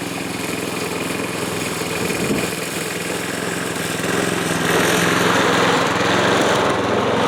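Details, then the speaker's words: Yard Machines Gold Series (MTD) mower with swapped pre-cleaned carburetor, oil added to cylinder, mowing: uneven lumpy beat that sags under load; not running right, low compression. "I'll show you guys what this thing's doing and I'll give you guys a little bit of a mow too but just ain't running right"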